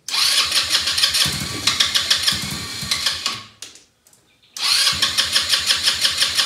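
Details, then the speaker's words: Elstar 150cc single-gear 2WD quad bike, long stored, spark confirmed and fuel dropped into the cylinder: the engine catches and runs lumpy, stalls, then restarts and stumbles along unevenly, running poorly. Owner thinks it may be out of fuel. "running not very well"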